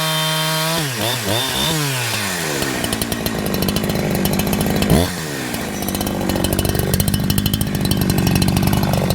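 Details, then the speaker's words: Holzfforma G372XP two-stroke chainsaw, never ran right since new, after carburetor replacement and with a too-short fuel line noted: revs up and cuts steadily, but pitch sags a little at full throttle. Still bogs slightly at the top end. "I'm sure you can hear in the testing there at the very end that the saw was still wanting to bog down a little bit on the top end of things"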